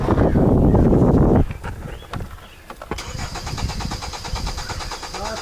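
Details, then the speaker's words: 2010 Hyundai Sonata crank-no-start: starter spins engine briskly about 1.5 seconds, tachometer moves but engine never catches; no injector pulse seen on test light, traced to dead fuel pump. "Yo, got a no start on a Hyundai. It's not starting."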